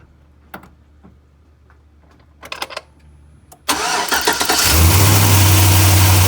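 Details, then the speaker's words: Chevy truck with LS V8, after replacing a leaking exhaust manifold gasket and broken manifold bolts: engine cranks and catches, then settles into a smooth, even idle with no puffing or ticking. Exhaust leak fixed. "as you can tell we don't have an exhaust leak no more so they had to be coming from this gasket right there"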